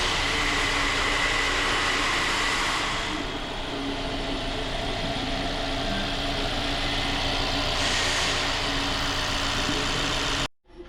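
A petrol car engine idles steadily with an even hum and no knocking or rattling.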